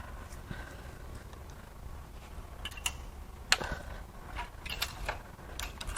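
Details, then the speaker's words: Blown GM 6.2L L9H V8 from Escalade/Denali, hand cranked before teardown, piston marked from valve contact: sharp metallic clinks and rattles like a cash register; loose debris inside blown cylinder. "actually turns over pretty good until it doesn't actually it sounds like a cash register in there"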